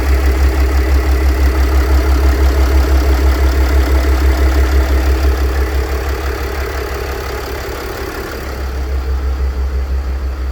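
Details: Mercedes W211 with OM642 3.0 diesel at idle: a constant droning hum about three times a second riding on the engine from a worn A/C compressor (pump) bearing; replacing the bearing solves it, no sound anymore.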